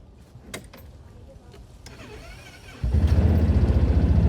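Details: Four-wheeler with a dead battery, jump-started with a jump pack: weak cranking, then the engine catches and settles into a steady, even putter with no misses or knocks. Afterwards it reads 13 volts as the generator charges.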